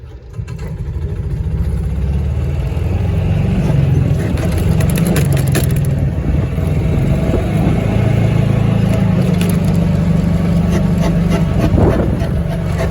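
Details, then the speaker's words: Club Car golf cart with a loud grinding when turning left; a rough, heavy low grind under the cart as it moves. The inner wheel is rubbing the shock nut and knuckle because the shock bushing is gone, and the A-arm bushings are worn too. "that noise we were hearing was the inner wheel rubbing the nut for the shock and that shock bushing is gone"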